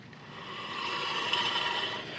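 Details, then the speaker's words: 2001 Volvo XC70 after a right rear knuckle replacement: a dry, hissy scrape swells and fades as the rear wheel turns. It is the parking brake shoes rubbing, not the disc brake, and the parking brake cable is still to be fixed. "that's from that parking brake rubbing and i kind of think that's what happened last time i thought it was stuck in the open position"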